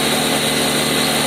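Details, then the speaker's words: Machine tool spindle in second gear, run from 1500 up to 6000 rpm: a smooth, even high-speed whir with a faint steady tone and no knocks or grinding, quieter at top speed as oil fills the gear gaps. Normal high-speed running. "that's where the speed actually gets a little bit quieter because uh because of oil actually goes on the gears and fills up the gap"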